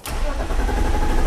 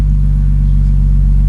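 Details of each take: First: 2002 BMW 325i E46 with no-start: steady, even cranking that never catches; the cause is a faulty ignition switch. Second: 2002 BMW 325i E46, cranks but no start: the engine catches and settles into an even rumble after the ignition switch wiring harness is wiggled; faulty ignition switch connection suspected, normal running once started.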